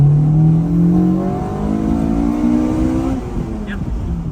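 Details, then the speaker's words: 1990 Honda CRX Si with B18C5 Integra Type R engine and transmission, after cylinder head refresh, on the road checking VTEC engages: pitch climbs steadily and cleanly through the revs with strong, even pull, then eases off; healthy. "go ahead pop VTEC down here make sure it still works"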